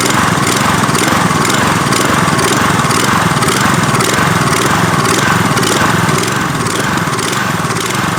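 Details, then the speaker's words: Troy-Bilt pressure washer, Briggs & Stratton engine, after regapping the RC7YC spark plug: idle-down idle with trigger not pulled, rhythmic rise and fall nearly twice a second; idle surge, cause unconfirmed. "unless you pull the trigger to start the pump action it's only going to idle and then it kicks into higher rpms once you pull the trigger"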